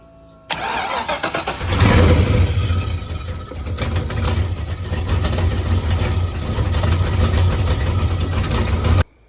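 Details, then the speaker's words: Engine with header cut off and valve cover removed for repair, started after reassembly: catches quickly, then idle surges and wavers unevenly; a loose engine ground strap, making clicking, likely caused the no-start and rough running. "I think that's what was causing it not to start the first time, and then it was causing it to run like shit right now too."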